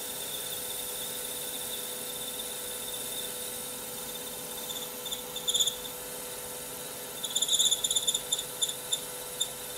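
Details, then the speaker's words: Lathe turning tungsten carbide with a CBN insert at 0.3 mm diameter reduction: thin high whine with brief shrill squeaks, insert at machine's depth-of-cut limit, or possibly insert worn. "I think point three millimeter diameter reduction is really pushing it on my machine I can hear the the insert squeak a little bit and I think that's the limit"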